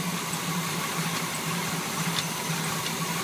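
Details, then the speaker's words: 1981 Chevy K10 engine idling on a cold start: rough fluttering buzz with an uneven slap about twice a second from the AC belt, which vibrates and is noisy even though tight. "and it is tight. See, it's noisy too. Noisy belt."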